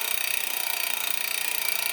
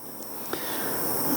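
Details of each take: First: Giant Liv Avail Pro 0 Di2 rear derailleur after adjustment (set to 17 instead of 18), gears changed via the phone app: light, even chain whir over freewheel ticking, clean quiet changes, no grinding or chatter; normal shifting. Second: Front tubeless tyre valve on a Giant Liv Avail Di2 bike with the valve core undone: only a thin, faint hiss of air squeezes past instead of a free rush, as dried sealant clogs the valve; blocked valve.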